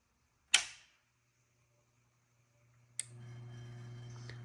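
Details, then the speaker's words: Drake L4B linear amplifier with an ES4L-4B-v1.0 soft-start board on 110 V: a switch click at power-on with tubes warming through the 12-ohm resistor, then a second relay click about two seconds later as the hum steps up; soft start working properly. "so you can hear it click whoops and the light will the power light will go on brighter that's it that's how it's supposed to work"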